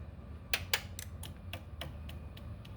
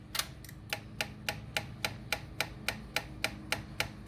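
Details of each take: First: Honda Ruckus after swapping in a new OEM Honda fuel pump, key on: about ten quick ticks, fast then slowing and fading over a quiet hum, priming fuel almost to the carb in one try; normal fuel pump priming. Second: Honda Ruckus that died and wouldn't restart, key cycled to prime. Steady light clicking about 3.5 times a second from the original fuel pump while the fuel line fills slowly; earlier it sputtered and died on throttle. Weak fuel pump.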